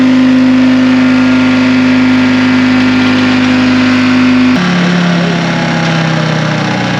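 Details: 1960 John Deere 440 backhoe, supercharged 2-53 Detroit two-stroke diesel freed after years seized: strong even drone, steady low hum, one clean step down in speed, no knocks; good oil pressure, normal running.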